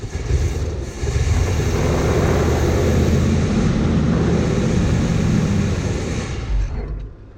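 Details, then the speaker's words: 1972 Chevrolet C10 shop truck, carb doubted, fuel tank unchecked: a deep, uneven V8 rumble catches on gas poured down the carb, runs several seconds, then fades and stops; fuel system needs sorting. "all right as you can tell it just fired over so the only thing we have left to get straightened out is the fuel system"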